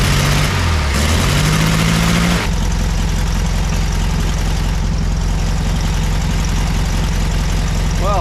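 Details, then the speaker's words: 1962 Volkswagen Beetle air-cooled engine, rebuilt with new rear main seal, flywheel, clutch and starter, on test run before timing set: cranks then settles to deep, steady even idle; runs smoothly, distributor later found not advancing. "I don't think we can complain about that. Fires up, idles wonderfully."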